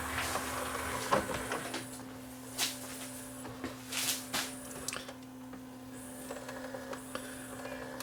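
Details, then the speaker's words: Sony DVP-C660 5-disc DVD/CD changer after new belt fitted, tray previously jammed by sloppy belt: small motor whirs with crisp clicks and clunks as tray cycles and seats, lots of torque, no slipping; normal disc tray operation. "Lots of torque now, no slipping. What happens is the belt gets sloppy and it gets jammed."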